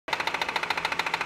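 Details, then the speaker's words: BMW with 70,000 km: loud, rapid knocking at about thirteen hits a second over a quiet idle, from the crankshaft pulley's damper failing and leaving play, a common fault around 60,000–70,000 km; fix is replacing the pulley. "这宝马设计有个小通病，我觉得它那个曲轴皮带梁上面设计了个缓冲的，大概在6到7万公里左右就开始损坏了。损坏之后它就有间隙就会敲击声。"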